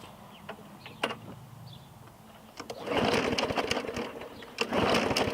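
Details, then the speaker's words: 2017 Murray 21-inch mower with a Briggs & Stratton 450E, primed three more pumps after a carburetor clean: two pull-cord bursts with quick compression puffs but no firing, though it seems to want to run. "I don't think it's carburetor right it wants to run I can hear it"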